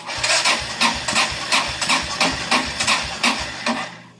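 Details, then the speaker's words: Kawasaki Prairie 400 ATV after voltage regulator replacement and carburetor overflow: slow uneven cranking about three strokes a second with a faint catch or two, briefly trying to fire on a charging battery but not running. "it sounded like it tried right there okay it's been charging for a little bit let's try it again"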